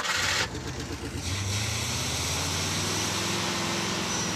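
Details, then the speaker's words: Stretched 1986 Chevy crew cab dually hauler, started after bleeding air from the system: catches after cranking, stumbles briefly, then settles into a steady even rumble with no knocks or misses; engine runs normally, though brakes not working. "There we go. That sounds like something that wants to haul something."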